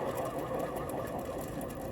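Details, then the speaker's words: Removed alternator from 2003 Hyundai Sonata 2.4L, which tested as not charging the battery, pulley spun by hand: fast, rough, dry gritty whirring rattle; worn alternator bearing. "should not be making that noise so it's definitely got bad bearing it"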